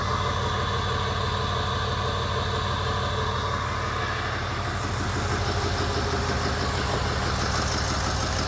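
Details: 2008 Ford E350 diesel van, first run after an engine rebuild, with no coolant or radiator: steady clatter at an even idle with a firm, regular beat and no knocks or misses. Normal idle; IPR is slightly high from air in the system.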